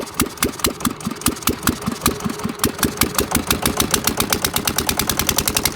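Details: 1979 Sian single-cylinder diesel revived after years sitting (seized rusted injector pump, weak rings, pitted valves), hand-cranked with compression release; sharp thumps rising from about six to nine per second into an even beat; clean start, healthy running.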